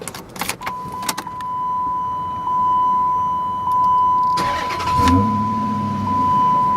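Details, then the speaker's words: 2007 Dodge Charger in Sublime green package, recorded from inside the car: door chime, quick crank, then the V8 catches cleanly and settles into an even, low idle with no misses; normal start. "Sounds good in here. I don't know what it sounds like on the recording. Hopefully nice."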